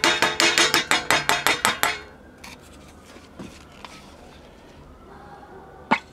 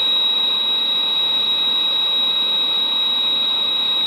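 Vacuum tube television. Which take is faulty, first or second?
first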